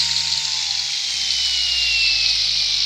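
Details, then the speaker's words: DeWalt 20V Max battery trimmer, about two years old, fitted with a DeWalt saw blade: smooth high-pitched whir holding steady, pitch easing as it spins down, no grinding; motor and bearings healthy. "those bearings are still great it's been two years since I got this"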